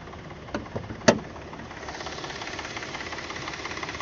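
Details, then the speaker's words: 2012 Chevy Impala petrol engine at idle right after start: rapid light clicking, also on acceleration, seemingly from the passenger side of the engine bay; began after a mechanic replaced the battery; oil already changed. "gonna start up the car and then I'm not sure if you guys can hear it but it's like making like this clicking noise"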